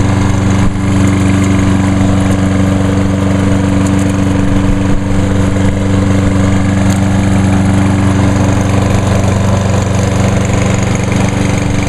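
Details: 2011 Lawnboy 10606 self-propelled electric-start mower, first start of the season after winter, fuel line starting to crack: steady low drone with an even four-per-second beat, no misses or surging; normal running.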